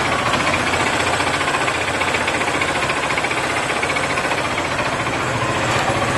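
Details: Yamaha FZ 08/08 motorcycle: steady rattling metal-on-metal tap at about four per second over idle, inside the engine, began shortly after an oil change; cause not yet found. Exhaust pipe leaving the engine has an old dent.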